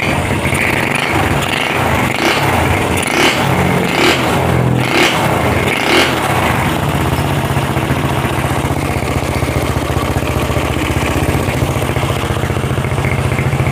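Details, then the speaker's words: Honda CB/GL single-cylinder after replacing the worn camshaft and rocker arms, oil circulation checked: fast even beat through a few throttle blips, top end now quiet with no ticking or rattle; normal running. "tambah halus sekarang Mas Bro Oke begitu saja untuk cek sound nya ya untuk tadi cb-nya sudah dicek suaranya sudah halus ya"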